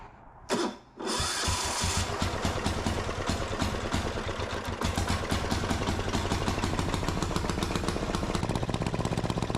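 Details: Gravely C10A repowered with a 418cc Yanmar-clone single-cylinder diesel: catches after a couple of cranks, then chugs steadily and picks up speed evenly with no knocks or misfires. Normal running.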